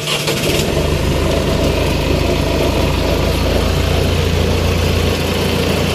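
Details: Diesel engine started after removing the engine stop solenoid that closed by itself on starting and cut fuel flow: catches quickly, settles into a steady, even idle with no stalling; running normally.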